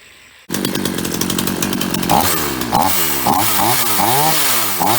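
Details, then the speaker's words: Free roadside Ross two-stroke chainsaw started after 2-3 pulls, crisp even buzz with clean throttle blips after kill switch reconnected; runs normally, though bar oil leaks out underneath instead of reaching chain (suspected split oil hose). "Started after 2-3 pulls. Runs like a champ."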